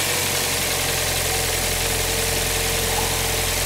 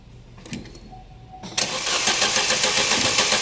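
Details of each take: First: Cold engine started right after a new coolant temperature sensor was fitted; the old sensor read hot on a stone-cold engine, causing extended crank. Now it catches promptly and idles evenly, then shuts off; healthy. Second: 2011 Opel Meriva, stone-cold engine on a cold day, complaint of hard starting on cold mornings; starter churns at a steady beat of nearly four a second without catching; extended cold crank from a faulty coolant temperature sensor, with no fault codes stored.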